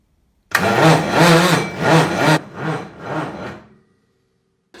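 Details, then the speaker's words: Land Rover Defender 127/130 with Cummins diesel conversion, starter freshly fitted on heavy 70 mm² cables: harsh heavy grinding in rough pulses while cranking, never catching; spacers and washers tried, owner suspects starter pinion tooth profile mismatching ring gear. "I'll fitted the starter tried to crank it and it makes a really horrible sort of grinding heavy grinding noise"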